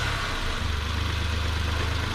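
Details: 2012 Nissan Latio/Versa, N17 three-cylinder petrol, customer reports air-escaping noise at shutoff and delayed acceleration: low uneven throbbing idle with faint airy hiss, engine vibrating, MAF reading 3.34 g/s, high; rough idle, vacuum leak suspected, not confirmed.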